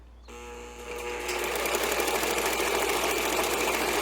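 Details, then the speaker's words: Vintage Singer 206K sewing machine after reassembly, straight stitch via foot pedal: motor whirs up from soft hum to steady even stitching chatter, running normally. "Yes. Uh looks like it has a bit of a zigzag tinge, but it's working now."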